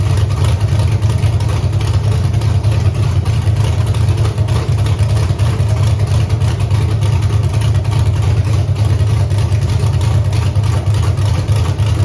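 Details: Camaro with Holley EFI 5.3 LS V8, closed loop off, wideband suspected: deep idle with a loping pulse about three times a second and uneven beat; rough idle, misfire, cylinder eight sounds weird, unplugging its coil changes nothing.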